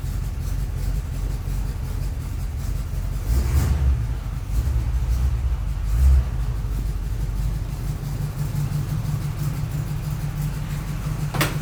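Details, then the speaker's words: 4x4 hot rod start after waiting on parts, including a rear driveshaft yoke: a deep, steady rumble with brief throttle blips. It is kind of noisy but not terrible, running evenly with no misfire or knock. "all right here goes nothing it's you can hear it kind of noisy not terrible [Music] seems all [Music] right"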